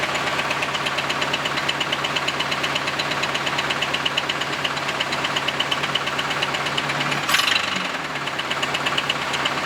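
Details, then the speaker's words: Camaro V8 idling on first start after an exhaust repair: fast, uneven metallic rattle-knock about two per second with sharp ticking, more pronounced when revved. Suspected loose connecting rods or crankshaft journals (bottom-end wear), not confirmed. "rattle it's a knock so that's what we really heard pronounced when I rev the engine that sort of like rattling sound it's basically step bouncing around that's probably either um connecting rods or um journals loose"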